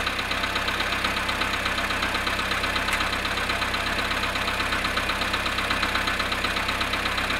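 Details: Volkswagen Polo sedan at -1°C cold start after standing 19 hours: steady idle with an even, dull ticking knock about twice a second over the engine hum; cold-start knock, cause unknown.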